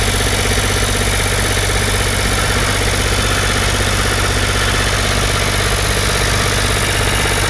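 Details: Ford 4600 diesel tractor, first run on a service-exchange injection pump, idles evenly but too fast at about 1300 rpm instead of about 800 rpm. A stray wire is holding the throttle linkage open.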